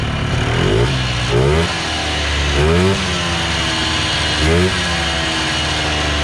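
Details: 1980s Polaris 250cc two-stroke ATV revived after sitting for years, fuel tank cleaned, fresh premix: crisp buzz picks up cleanly on each throttle blip and drops to steady idle; owner may tweak carb; normal running.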